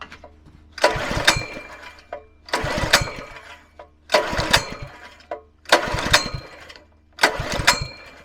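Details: Scrap petrol pressure washer engine, previously wouldn't turn over due to seized pump, throttle about halfway: five recoil pulls about every 1.5 seconds, each a short rattling spin that never catches; hard starting, later started with brake cleaner.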